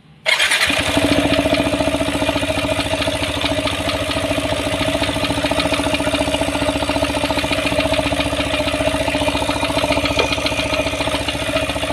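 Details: Yamaha NMAX 155 scooter with the CVT cover removed, starting and idling: rapid, uneven clattering knock from the belt drive, present at low and high speed; owner suspected a worn bearing and traced the source inside the CVT.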